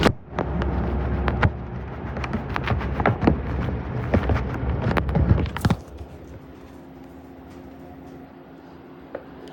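Irregular heavy thumps and rattles for about six seconds, then it settles to a quiet hum: the drum is shaking and knocking, cause unclear.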